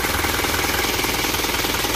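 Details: Isuzu Elf truck diesel after retuning, held at raised revs. Loud, fast, even firing with a gravelly rasp but no misses or knocks; owner is satisfied with the tune: normal running.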